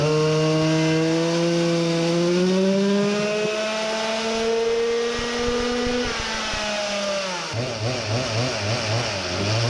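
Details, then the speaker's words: Samurai 40cc two-stroke on dyno after turning head for deeper chamber, lower compression, better-exposed plug: clean rising pulls to 14800rpm, 4.23hp at 14700rpm, then choppy idle; healthy strong engine. "14800rpm, 246 revolutions per second it sounded like it got some new powers most likely from the head modification horrifying, almost 15000rpm max revs 4.23hp, 14700rpm quite a machine already"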